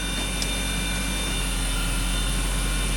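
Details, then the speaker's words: BMW X5 that had been misfiring, with bank 2 showing a lean mixture; coolant, oil and intake around 42–46. It now idles steadily with an even hum and no stumbles: no misfire at present, normal idle. "And what do you know? Now it runs great. Absolutely no misfire at all. This doesn't make any sense at all. This car has no misfire whatsoever right now."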